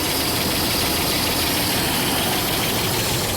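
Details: 2005 Dodge Ram 2500 5.7 Hemi V8 at almost 300,000 miles with a dead cylinder: rough, uneven idle with a fast light tick, suspected worn cam lobe from a seized roller lifter causing low compression; no misfire counts recorded.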